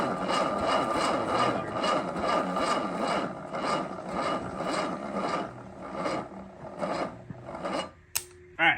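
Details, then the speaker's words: Sunbeam Alpine being prepared for first start, cranking on a weak battery to build oil pressure: slow, even starter chugging about two compressions a second with no firing; engine turns over but doesn't start, no oil pressure yet. "We got it to crank a few times. We couldn't get it to crank enough to build oil pressure cuz the first battery that we used um ended up dying."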